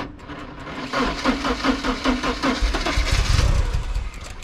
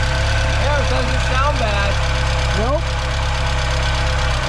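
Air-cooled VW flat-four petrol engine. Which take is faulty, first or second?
second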